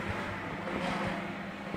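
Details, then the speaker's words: Dawlance microwave oven that ran but did not heat, after replacing damaged fuse, heating water on load drawing 5.2 amps: steady low mains-type hum, no buzzing or crackle; operating normally. "पे 5.2 एम्पेयर ले रहा है लोड पे। चालू है इस वक्त, ठीक है।"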